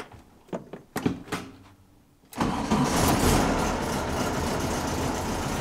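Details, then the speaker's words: 1964 Volkswagen Beetle cold-day start after shifter adjustment: a few quick starter bursts, fires straight away and settles into a steady, even idle; starts easily, clean healthy cold start. "Seriously love how easy this car starts. Love it. It is quite cold today,"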